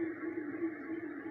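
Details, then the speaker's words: Ceiling fan, blades spun by hand: steady rough hum with a dry rumbling drone instead of a smooth glide; worn motor bearings needing replacement. "típico de rodamientos ya con problemas que requieren de un cambio"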